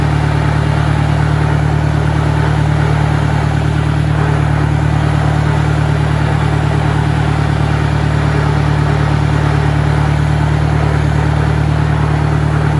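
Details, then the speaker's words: 1965 John Deere 1010, Stanley muffler, about 1000 rpm in second gear: a steady low drone with constant gear noise running through it; the transmission is noisier than it should be, cause unconfirmed. "third gear is a little bit quieter but there's still a one sounds to be to me anyway a fairly significant amount of noise as compared to the 63 in first and second GE"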